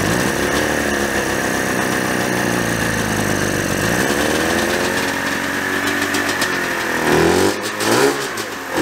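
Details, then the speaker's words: 1987 Yamaha Exciter 570 snowmobile two-stroke, first start after 13 years sitting, fresh gas: screams at steady high rev, won't settle, shut off with kill switch; overly tight throttle cables held throttle open. "ables were pulled really tight so the actual like needle in the car wasn't going down all of the way so that's why i had to run it with the kill switch because it would rev out and i would have to kill it because it wanted to go a bajillion miles an hour"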